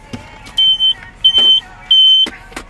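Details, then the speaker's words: Carbon monoxide detector fitted in a vehicle used for sleeping, with an inverter setup: three loud high-pitched beeps about two-thirds of a second apart with handling noise between them. Alarm sounding, cause unknown. "pero es un detector de monóxido de carbono por si acaso porque uno no se supone que esté dentro de un carro en un área cerrada porque puede fallecer"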